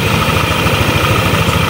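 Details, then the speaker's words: Yamaha Aerox 155 scooter idling after CVT repair, loose pulley nut with worn axle thread refitted with washer and thread locker; steady idle, even low pulsing, no knocking or rattle from belt side: normal idle. "So ito namas pinaandaran natin. Inobserbahan pa namin baka lumuwag yung kanyang knut"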